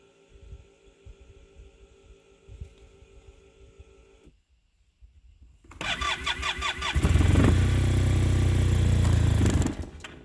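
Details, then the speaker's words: Arctic Cat Norseman sled after sitting all night, with fresh gas and Sea Foam. Long cranking, then the pump was rerun, and it still never fires. Owner suspects a slow vacuum leak (dealer found a vacuum code) draining fuel, or a bad fuel pump. "so if we shut it off and we run the pump again it should fire right away nope come on brand-new gas in there yesterday so it is not a gas issue"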